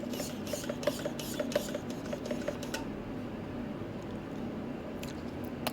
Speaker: with a digital you can't hear anything which is pretty freaking amazing when I smooth like butter